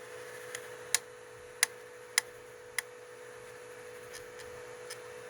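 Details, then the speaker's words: Tronxy XY2 Pro Titan 3D printer, owned since late April, printing: sharp uneven clicking/knocking breaks through a steady motor hum, with filament pulling back a little; source unknown to owner; extruder clicking. "It's like you can hear it though. There's like a knocking noise."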